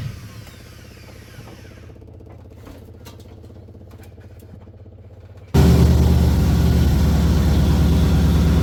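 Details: 1981 Ford Bronco 351 V8 first running after no-start: timing confirmed, fuel added, carb refitted on homemade adapter plate after backfire lifted it; catches abruptly, settles to strong, even, lumpy idle burble on all cylinders; small resonator muffler.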